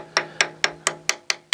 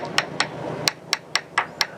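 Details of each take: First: Catalina 380 sailboat after a hard grounding, tap test of hull fiberglass: eight sharp even taps about four a second sound dull and hollow, indicating voids and fractured laminate. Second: Tap test on the fiberglass hull ahead of the keel of a 2000 Catalina 380 after a hard grounding, where hairline cracks show in the bottom paint: crisp, bright ringing taps with no dull thud, so the laminate is solid with no delamination.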